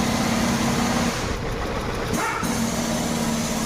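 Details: Hyundai Venue petrol idling with injector 4 unplugged for test, pulse present (real fault: no ECM supply to injectors 1 and 2, fixed by ECM repair): uneven stumbling lopsided firing; misfire at idle.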